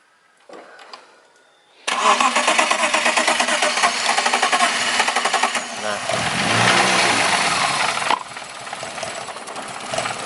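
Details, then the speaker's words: BMW E36 with fuel pump and ECU relays tested good: cranks and catches on residual fuel-rail pressure, stumbles unevenly for several seconds and dies; fuel pump suspected weak or failed. "Nah itu ya pincang ya, pincang. Nah ini gas mati. Nah dia menyala biasanya karena masih ada sisa tekanan bahan bakar di fuel rail di sini ya."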